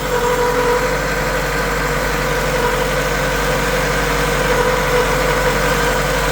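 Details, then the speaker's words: 1974 VW Passat B1 with swapped-in GTI engine, ignition timing just set with a timing light: smooth, steady idle with an even beat and no knocks, ticks or misses; engine running sweet, normal idle. "And as you can hear, the engine's running sweet."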